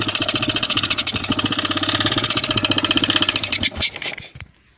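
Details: Yamaha XT 600 (2KF) engine starts fairly well but has a loud, sharp metallic clatter from the top end at about three to four a second, and is consuming oil; top-end knock, owner suspects a failed piston.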